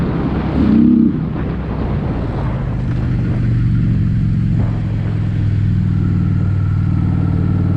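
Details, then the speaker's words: Honda Shadow twin on the road after mixture screws set about three turns out: uneven, lumpy beat with scattered pops; rough running with power loss, cause not pinned down, more adjustment planned. "she's running like [ __ ] i think we're gonna have to make some more adjustments"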